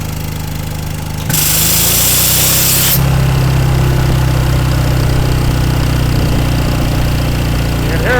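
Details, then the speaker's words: Single-cylinder engine on an old air compressor after a new electronic distributor was fitted, timing set by ear after it bucked from being too advanced; steady chug sags and slows once compressor load comes on; engine bogging under load. "It actually don't sound too bad, but it's unloaded right now. So once I get a load on it, it might just kill it."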